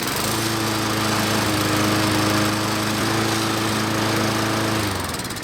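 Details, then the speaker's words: Lawn mower that kept starting and stopping, after carburetor cleaning: fires up and holds a steady, even drone for several seconds before shutting off, no surging or stalling; running normally after repair. "well it seems like it's working that was a nice easy job"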